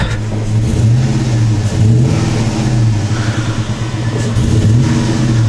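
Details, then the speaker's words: 2002 Chevy Avalanche petrol engine with aftermarket intake, mass airflow sensor disconnected as a test: revs unevenly, surging and sagging, fighting as it climbs; unplugging the MAF made no change; rough revving, cause still unknown. "But it's a little rough, like it fights it going up."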